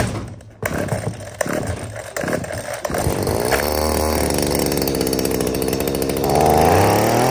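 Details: Shindaiwa DH230 gas hedge trimmer that would not start, after carburetor and fuel line replacement and priming; fires and revs to a smooth, steady high buzz with no sputtering, running properly.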